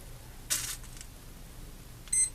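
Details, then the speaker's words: Orange RX3SM four-channel receiver with built-in stabilizer: servos work but the ESC on the throttle channel gives short high no-signal beeps about every one and a half seconds, with no throttle response; ESC works on other channels. "now we see the receiver has signal the stabilizer is operating the servos but we still have that no signal beep from the throttle channel"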